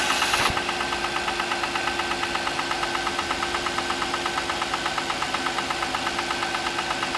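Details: Audi A6 C6, cold morning start: a sharp, even ticking knock about three times a second over a steady idle. This is an engine knock at idle, origin unknown.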